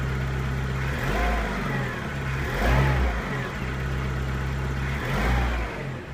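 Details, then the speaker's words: 2002 Skoda Octavia Tour 1.6 8-valve AEH with 170,000 km: after start-up the revs rise and fall smoothly with the throttle and return to a steady, even idle with no misfire or knock. The engine is healthy. "Запуск двигателя. Двигатель работает ровно."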